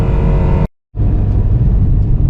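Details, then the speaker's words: Worn-out car with an engine belt missing, automatic transmission won't upshift on a 25-mile drive to the scrap yard: engine held at a strained high pitch near redline with heavy vibration and no drop from a gear change. "this thing is not buying the shift that's crazy amount of vibration"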